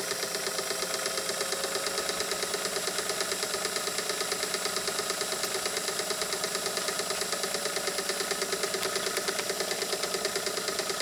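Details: Scottish-made Singer sewing machine with a 0.95 amp motor, after raceway work: light, quick, even ticking over a bright whir; running freely and picking up speed.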